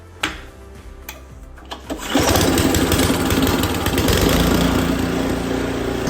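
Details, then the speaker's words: Snowblower after auger/drive cable moved to the next hole to stop creeping auger: a few clicks and pulls, then the small engine catches and settles into a steady even run with no grinding; fixed, running normally. "And just like that, we're back in business. So I got pretty lucky. It was fixed on the second try."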